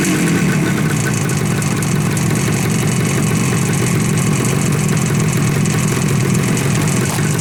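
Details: 1970 Suzuki T350 two-stroke motorcycle, first start-up after a year-long restoration from seized pistons, rotten tank and 1980 gas: busy, crackling buzz holding a steady, even idle throughout with no misses, running normally.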